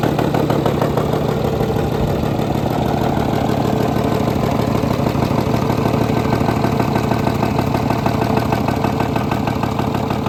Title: Engine knock on Jaguar FJ